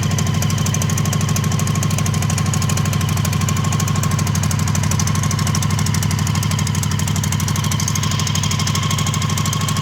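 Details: Honda CB750 barn find, 65,000 miles, outside for years and seized, first start on syringe-fed fuel: steady low tickover with a loose, regular metallic rattle about three times per second; cause unconfirmed.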